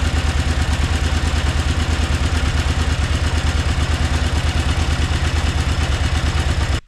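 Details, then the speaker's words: 2003 KTM 950 Adventure LC8 V-twin at idle after timing-side (distribution) repair: a steady, even pulse about three beats a second with no clatter or ticking. Before the repair it clattered like a diesel; now it sounds completely normal. "la différence là pour moi elle fait un bruit tout à fait normal"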